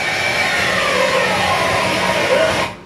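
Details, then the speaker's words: Noise imitated by mouth to show a timing belt fitted too tight: a harsh, busy whirring racket with no knock rhythm, the kind heard right after a timing belt job; timing belt overtightened. "reason it's making that rackets goes the time belt's too tight if you hear one sounding like that right after somebody's put a timing belt on it you're going to know the timing belt's to TI"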